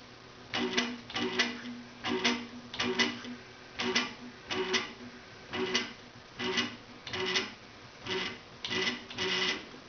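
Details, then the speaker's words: 425 oz/in stepper motor on a Gecko G540 driver, jogged: short, even buzzing moves, each starting and stopping cleanly. "see how it gets quiet as you trim it down at the lower end there's a bit of a jerk when you start and stop"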